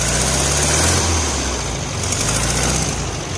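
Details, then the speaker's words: 1973 VW Karmann Ghia air-cooled engine, sat 28 years, with new plugs, wires, coil, cap, rotor and electronic ignition, just started: slow, uneven loping chug about 3.5 beats a second; idle set low, timing possibly still off. "Looks like the idle is set a little low. Timing may still be off,"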